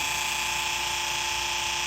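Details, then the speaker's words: 1994 Polaris Indy 500 EFI snowmobile with its fuel pump jumped directly from a 12 V battery: a steady, thin high-pitched electric whine with no stutter or surging. The pump works and delivers fuel, which is normal. "it does have some gas in it so that's working ok the pump works that's a good stuff"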